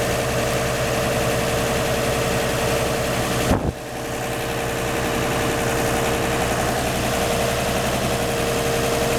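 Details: 1949 Chevy 3100 with a 1954 235 six, idling after the leaky exhaust donut at the front Fenton cast-iron header was replaced and tightened: steady, even idle with one brief bump, no ticking or puffing, so the leak is sealed.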